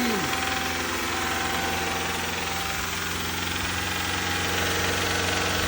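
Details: 2014 Subaru Forester boxer engine (junkyard replacement, about 208,000 miles), idling: dull, fairly regular knock about four a second, worst at first cold morning start, improving as oil circulates; piston slap, considered normal.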